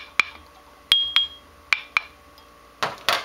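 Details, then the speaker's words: Grinding wheel ring test, with the wheel hung on a rod or screwdriver and tapped lightly: the first taps give a short clear ring, but the last taps on the bad wheel are dull, dead thuds with no ring, indicating a cracked wheel. "now if it's bad if there's any micro fractures or cracks or anything in it it's going to have a dead sound so you can hear there's no ringing at all"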